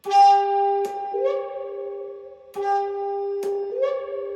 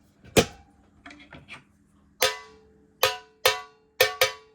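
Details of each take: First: 2002 Fender Vibroverb ('64 reissue) powering down: the tone holds, then droops and warbles in a muffled wah-wah fade as the filter caps drain. Normal power-down sound. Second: 2002 Fender Vibroverb ('64 reissue) reverb pan before damping foam tape was added: sharp metallic hits ring with a harsh bell-like decay. The undamped reverb pan resonates, harsh and metallic.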